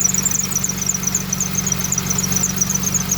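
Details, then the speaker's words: 2003 Mitsubishi Eclipse 3G at idle, with an oil leak: thin high chirping squeal in quick bursts; suspected alternator or belt, disappears when revved; belt squeal at idle. "Bueno pues ya no está haciendo el otro ruido ahora tenemos ese ruido del alternador pareciera que es la"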